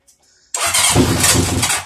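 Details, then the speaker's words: 1980 Honda CB750 project, new not fully charged battery, spark confirmed, fuel poured in by hand: engine catches with a rough burst, runs about a second and dies. "You hear that? It was running. It ran for a second. That's awesome."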